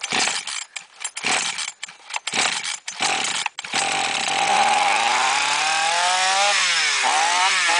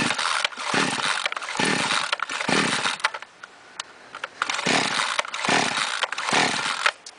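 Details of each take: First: Flooded chainsaw, after about half a glass of petrol was drained from the cylinder and the plug refitted, is started with throttle pressed; after a few sputtering pulls it catches and revs cleanly, running normally. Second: Chainsaw brought in not starting, with petrol leaking from the muffler, gives repeated rope pulls that never catch; its spark plug is soaked with fuel. The cylinder is flooded from improper starting.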